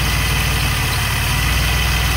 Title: DeLorean - Strange "ticking" sound coming from distributor